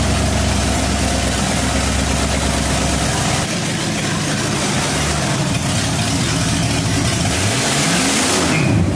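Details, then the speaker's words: 1965 Mustang with supercharged, aluminum-headed 289 V8 and big cam, restarted after cooling off: deep, lumpy burble that swells with a rev and settles back, even firing with no knocks or ticks. It sounds healthy, ahead of a thermostat removal. "This thing has never sounded half that good before. Ever."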